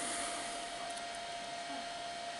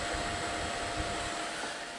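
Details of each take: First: Amiga 2000 power supply with fan fitted (first spun wrong way round, later corrected): smooth even airy whoosh with steady faint tone, no ticking or rubbing; fan running normally. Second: Amiga 2000 power supply original fan before swap for a PC fan: constant airy whoosh with thin steady whine on top, no speed change; loud fan that howls like a banshee.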